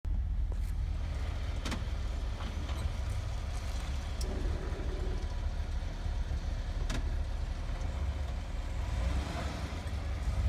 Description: Front brakes or something is making a pulsating/gurgle noise lightly pressing on the brake on a minor slope with the rear higher and moving forward only.